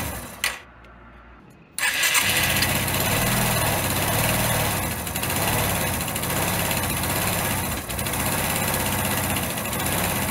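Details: Motorcycle engine rebuilt again after missing tensioners and snapped head bolts, first start with the side plate off. Quiet, then it catches at once and settles into a steady idle with no knocking; it runs healthy.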